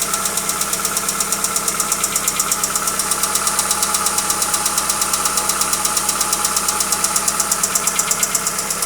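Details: Hyundai Accent: crisp even knock about 167 times a minute over a steady idle; engine knock, source not yet traced.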